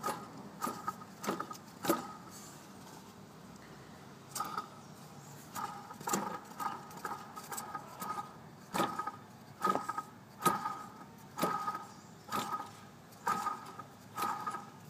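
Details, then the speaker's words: BMW E46 water pump checked with the belt removed, each pulley hand-spun: rough, scratchy whirr with a faint ring on each spin and some play in the pulley; suspected worn water pump bearing, not confirmed. "It does have that sound to it, and there is some play in the pulley."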